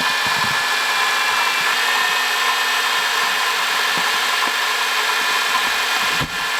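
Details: 2005 Honda Odyssey, 268,167 km: steady high-pitched hiss and rough whirring over the idle, no knocking; worn water pump bearing, cured by replacing water pump, thermostat, thermo switch and coolant.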